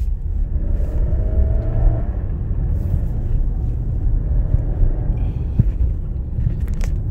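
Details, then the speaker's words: 2016 Nissan Rogue AWD, road test after fixing an underbody rattle under acceleration with fender washers and penetrating oil: steady road rumble on bumpy pavement, no rattle or buzz; fixed. "gets nice and bumpy down this road so sometimes it's literally that simple"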